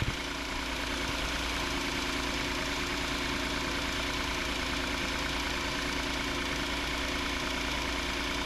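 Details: 2019 Hyundai Santa Fe XL 3.3L GDI just after serpentine belt replacement: smooth, steady idle with even hum, no squeal, chirp or knock from belt or pulleys; healthy.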